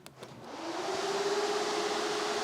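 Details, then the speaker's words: Trans Am with LT-series V8 and 6L80E swap: cooling fans switched from low to high speed by grounding the high-speed relay wire; loud steady rushing whoosh with faint hum, normal high-speed fan operation. "so we have uh high speed low speed keys on ground low speed fans are running don't know if you can hear that ground high"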